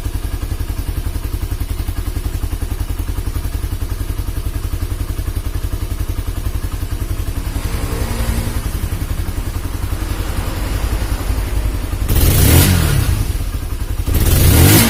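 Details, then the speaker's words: Honda CB150R after an engine rebuild for a leaking head compression that made radiator coolant spray out. An even, steady single-cylinder thump at idle, then two clean throttle blips that rise and fall smoothly; the engine runs normally. "Alhamdulillah sudah halus untuk suara mesin memang motor ini itu banyak sekali kendalanya"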